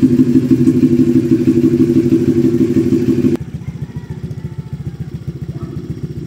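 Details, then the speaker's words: NK400 motorcycle after replacing burnt stator: loud steady running for three seconds, then quieter even idle with regular pulses about three per second; charging now 14.8 V, previously dropping to 9–10 V. "Yan, okay na siya. Nagpo-14.8 na, 14.8 na. Okay na yung charging niya. Okay na."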